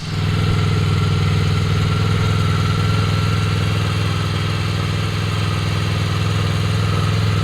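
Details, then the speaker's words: Honda VFR800X Crossrunner V4 motorcycle just after a cold start in neutral, microphone held close: steady, even low thrum with a smooth unwavering beat, no knocks or misses; normal idle. "that's that's that's the cold start I I hope you guys can hear it there you go I'm keeping the microphone close"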